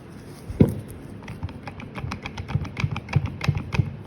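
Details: 2016 Ford Transit Connect with the driveshaft removed: dull metallic clunks, about three a second, as the driver-side inner CV joint with excessive play is rocked by hand; caused clunking when changing gears 1-5 and accelerating.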